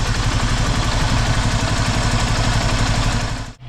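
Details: Vauxhall Cavalier, previously running on three cylinders from a shorting terminal; idle pulses about four a second with uneven strength and a sudden dip; rough idle, owner suspects coolant temp sensor wiring after wiggling wires made readings jump.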